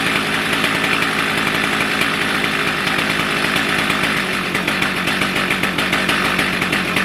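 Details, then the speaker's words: Stihl MS310 chainsaw, warm following ignition coil/gap repair (previously stalled after about 2 minutes when hot); steady high-pitched two-stroke buzz at even speed without stumbling or cutting out; normal running. "Okay, she's been running for probably 10-15 minutes. We're sitting at idle."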